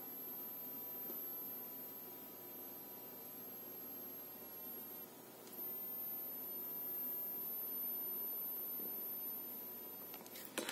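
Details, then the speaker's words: Cheap phone charger from AliExpress with included MicroUSB cable: thin, very high steady whistle with low hiss, coil whine, mainly without load; unit also warms up and cuts out to protection. "тоже отсюда слышно пищит короче блок не очень"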